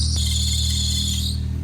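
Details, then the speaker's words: 1992 Mercedes-Benz 190E 2.3 SportLine (Evo II replica build), first start after reinstalling old part: loud steady high-pitched screech over idle that then fades; belt squeal. "Jeez, your belt squeal. Holy crap. Man, that sounds Full violin."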